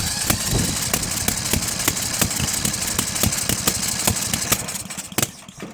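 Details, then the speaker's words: Murray 10 hp 30-inch deck riding mower, mid-engine Briggs motor, taken apart: while cranking on a jumper box, irregular sharp pops spit through the carb about four a second, fuel pouring out of carb; won't start, reed valve suspected by others. "When I go to start it, as you can hear, that's what I get. I get a bunch of popping noises."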